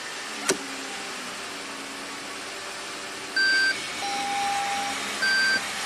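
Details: 2013 Lexus ES350 U660E automatic, 185k miles, after fluid refill (just under 3 quarts), idling and now engaging forward. Two short high electronic chime bursts repeat, a traction control warning. Earlier transmission pump noise is gone.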